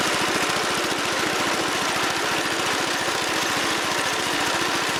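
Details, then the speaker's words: Wheel Horse Commando 800 tractor with 8 hp pull-start engine, after sickle bar mower belt replacement: steady speed with fast, even low pulses and no misses or knocks; sounds healthy. "Looks like we're back in business. Okay, got her fired up and got her in the transport position."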